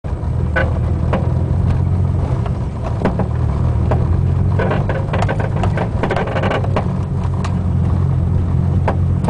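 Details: Front driver's side Buddy Club Racing Spec coilover while driving: irregular sharp pops and clunks over bumps with creaking; creak from top mount, clunking seemingly from spring/shock body, felt through pedals and floor; cause unknown.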